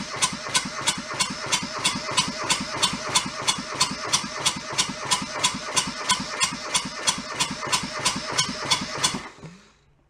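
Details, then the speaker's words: Junked small Kubota diesel from a scrapyard, cranked with a bleeder cracked to draw fuel through: even starter cranking about three compressions a second for nine seconds, never fires, then stops; little or no fuel coming out, no fuel delivery. "I need my starter but you see anything I'm not seeing much of anything huh definitely down in it"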